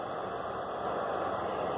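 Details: Tecsun S-8800 portable receiver tuned to 16,000 kHz: steady hiss with faint fixed whistling tones about 10 kHz wide, persisting with antenna switched to empty external input; a birdie, internally generated receiver noise.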